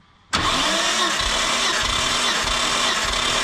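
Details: Nissan Skyline R32 GTR cranked by the starter with coils and spark plugs removed for a compression health check. It makes a steady whir with an even pulse about every half second, showing evenly matched compression.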